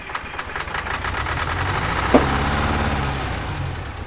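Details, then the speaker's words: 1970s Insley H800 excavator's Detroit diesel, freed from seizure and first started after 25+ years sitting: uneven, lumpy firing with a sharp pop midway; owner suspects a hole blown in the exhaust. Rough running, cause unconfirmed. "All right, well, that thing wants to run. What the heck was that? I think we just blew a hole in the exhaust."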